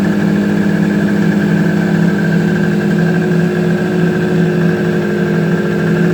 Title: My suzuki gt250 is alive again!! First start after rebuild